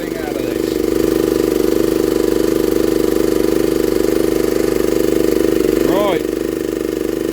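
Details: 1960s Honda ED250 DC-only generator, running while DC output is measured at about 14.6–16 V: a steady, even mid-pitched drone with a smooth, regular beat and no misses or knocks; normal running.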